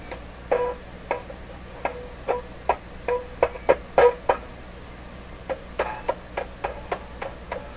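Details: Westinghouse 981X shortwave receiver, output tubes tapped: each light tap gives a short metallic ring in the speaker, some taps ringing louder; one output tube suspected microphonic, not confirmed.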